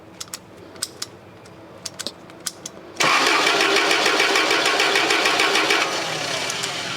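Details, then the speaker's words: Toyota forklift that died suddenly and sat unused for two years: after a few clicks the starter spins the engine evenly but it never fires; crank, no-start with no spark. "to see if it's got spark and it still doesn't have spark."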